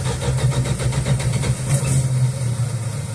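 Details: 1969 Dodge Dart/Valiant, sat 6 months with 10% ethanol gas, air cleaner off, primed; fast, even cranking about six or seven beats a second, never fires; no fuel reaching carb bowl, suspected drain-back: crank, no start from fuel starvation.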